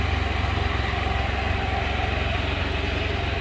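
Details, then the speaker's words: 2017 Can-Am Spyder RT-LTD after heavy washing, camshaft position sensor unplugged: steady, even idle with a regular low pulse near three beats a second and no misfire or stumble; it runs fine, though it throws a code. "I'm still amazed that that thing runs perfectly [Music] fine without that sensor hooked [Music] up"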